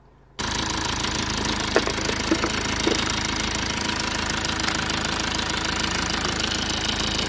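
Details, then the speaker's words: Neglected Lexus IS220d diesel after electrical fault repairs and a 50 A fuse fitted: starts straight away and settles into a steady, even idle with no misses or surging, just light background clicks; sounds healthy. "Okay, started straight away. Look at that, even the airbag light has gone off."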